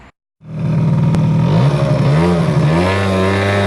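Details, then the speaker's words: Aprilia SR50R scooter with Piaggio engine, after gearbox oil change (only 40–50 of 120 ml found): revving with wavering, warbling tones; abnormal drive-side noise at higher revs, traced to the pinion/sprocket, variator-cover bearing suspected but thought unlikely, cause unclear. "also ich habe jetzt alles ausgetestet das geräusch kommt auf jeden fall von dem rätsel hier"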